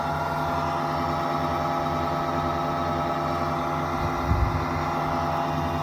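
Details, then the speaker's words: VMP Gen3 2.65L Terminator Cobra before first start, engine off with key on: constant even hum of the fuel pumps and fuel audibly circulating through the regulator after a leak was snugged up; normal fuel pump priming. "pumps you can even hear the fuel going through the regulator here"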